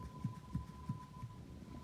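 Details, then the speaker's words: Hyundai Accent, rear suspension knock heard on rough roads: a few dull low thuds, about three a second, as the rear anti-roll bar is worked by hand; worn rear sway bar bushings. Left rear strut was replaced needlessly, and the stabilizer links are fine. "я вам сразу же сказал что возможно это втулка заднего поперечного стабилизатора вот такие вот втулки которые стоят по 40 50 рублей самые дешевые смотрите короче вот он стук шато им стабилизатор видите"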